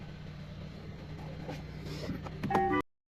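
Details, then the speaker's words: 2019 Hyundai Tucson 1.6L petrol, 64,895 km, after replacing original spark plugs for cylinder 1 and 3 misfire and clearing fault codes: restarted, quiet steady low idle with even beat, no stumbles, brief chime at end; runs smoothly, normal idle. "Now switch off and wait 3 seconds and start the engine. Run smoothly."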